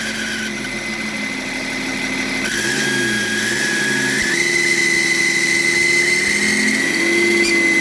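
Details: BMW E38 with M57 3.0 diesel (M57B30): thin steady whistle around 2 kHz rising with revs after fitting a rebuilt turbo, same whine as the old one; disappears when the variable-geometry control valve connector is unplugged, returns when reconnected.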